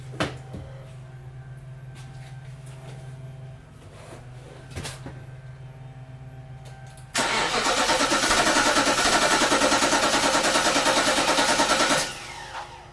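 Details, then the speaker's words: 2011 Infiniti FX50S (VK50VE V8) during starter replacement, engine run until it dies to clear fuel: starter cranks at a steady, even rhythm for about five seconds but it never fires because no fuel is left. Crank, no start. "right. Well, I guess there wasn't even enough fuel to start it up."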